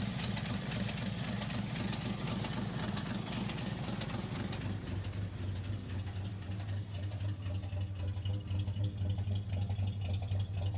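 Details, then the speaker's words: REO M-35 truck with blown head gasket, engine still cold on choke: lumpy idle, three or four cylinders fire then a gap, skipping at least one cylinder, probably more; warm it would not idle without blipping throttle. "You can already hear in just that little section there, you can hear it skipping at least one cylinder, but probably more than one. It's like because the three or four cylinders fire, do do do, and then there's a pause where there should be another cylinder firing, but they aren't firing."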